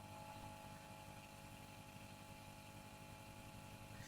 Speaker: um soorry if I bring the Reverb control up we do get a noticeable increase in hum